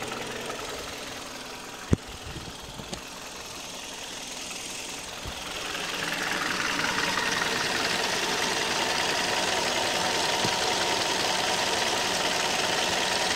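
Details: 2008 Kia Ceed at 104,000 km on Mobis 5W-20 oil, valve clearances within spec: steady light knock at idle, about two to three per second over the engine hum; source not identified.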